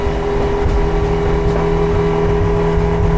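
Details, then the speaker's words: Mercury 60HP outboard, 170 hours, on 2018 Alumaweld Stryker 18, hard turns and figure eights: loud, steady drone holding tone through a hard pull, no misses, knocks or surging; running normally. "Everything's running great that way. Very good. Pretty much as to be expected. The boat seems to be running and operating as it should."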